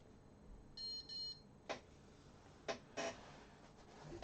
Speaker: oh yeah probably should be out here beeps that's the uh track change